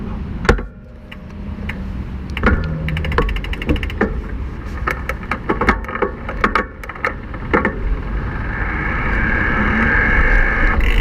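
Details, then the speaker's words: IZIP E3 Moda speed pedelec (28 mph assist, no shift detection), rider easing off to shift smoothly: steady motor hum under pedalling with soft clicks as gears change, no crunching or skipping; normal, healthy gear shifting. "so I'm going to shift through the gears a little bit. This time I'm going to try to not to mash them. I'm going to ease off and keep it smooth."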